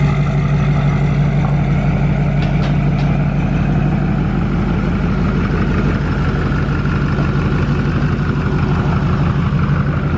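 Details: Duramax LML diesel with a new long block, held at a steady 2,000 rpm outdoors during a 5-minute break-in cycle: even, regular beat with no knocks or misses, and no big puddles. Normal running at fast idle.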